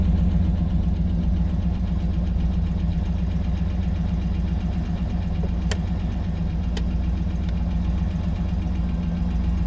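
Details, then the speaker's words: GMC Yukon Denali 6.2 after fixing no oil pressure: a missing plug in an oil pan hole let pressure bleed back. Now idles smoothly with no knocking, the liquid noise is gone, and oil pressure reads about 50 psi. "all the liquid noise is gone the psi itself if i get 50 50 psi it's not bad code"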